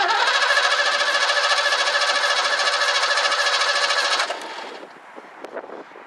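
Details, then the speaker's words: 1984 Ford Mustang GT350 barn find, running on primed fuel with a spark light connected: catches and runs hard for about four seconds then stumbles and dies; spark stays steady, so carburetor fault, carb kit to be installed. "still spark nope I'm not losing spark so that's not the issue it's it's got to be in the carburetor"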